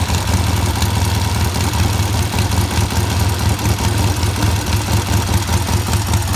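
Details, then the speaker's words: Vintage British motorcycle, run to confirm it works before teardown and painting (a battery is suggested for dependability): an even, low thumping idle holding steady for several seconds, no misses or knocks. The engine runs and sounds good. "Does run, and it sounds good."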